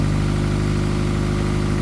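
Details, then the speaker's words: Honda Accord first start after cylinder head reinstall for blown head gasket and misfire, exhaust not yet welded: even, steady idle with loud deep exhaust note, no misses, knocks or ticks; no cooling system pressure now. "I mean, it runs phenomenal. It's going to run excellent when I get done and finish weld the exhaust and all that fancy stuff."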